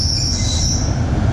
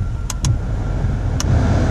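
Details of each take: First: Loose serpentine belt slipping and squealing, high and steady over the engine rumble, when the car is cold or when the AC, blower, wipers and headlights load the alternator; the AC compressor sits below the alternator. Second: Car idling hot with headlights, wipers, defrost and AC all on after replacing the squealing AC belt; steady low rumble, a few light clicks, no belt squeal. Belt drive now healthy where it once squealed cold and under accessory load.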